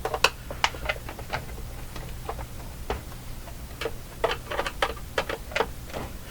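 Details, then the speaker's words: Lloyds LJ61G-118D clock radio, dropped and afterward only hummed, shaken: scattered sharp uneven clicks and rattles of loose broken parts inside cabinet; heavy internal parts likely bent or ripped loose from impact momentum. "Because whatever's busted in there sounds egregious to me, but when you drop something like this, there's heavy parts inside."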